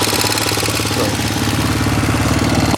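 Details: Roketa ATV (Power Sports) small engine idling: quick steady tapping in time with engine speed, growing louder; cause not yet pinned.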